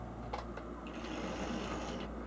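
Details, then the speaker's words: Old Tri-ang TransContinental Pacific model loco, front bogie missing, on a piece of old Hornby Dublo track: even, steady mechanical whirr with no stutter or groan; runs extremely smoothly, still fine on other track and at slow speed. "look how extremely smooth that is even on the other track it's not so bad even at slow speed"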